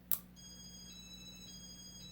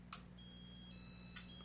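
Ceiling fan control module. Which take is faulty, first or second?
first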